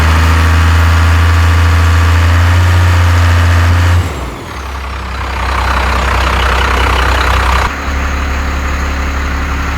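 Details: 1st Gen 12-valve Cummins truck after its injectors were rebuilt and reinstalled with pop pressures around 3,700 and good spray, chatter and leak-down: steady even diesel clatter at idle, then a clean rev that settles back; healthy.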